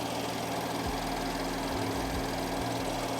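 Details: BMW M4 idling after valve cover and PCV replacement, fuel rails primed after lines were disconnected: smooth, steady idle with an even low hum, no knock, tick or miss, no fuel leaks; engine running cleanly.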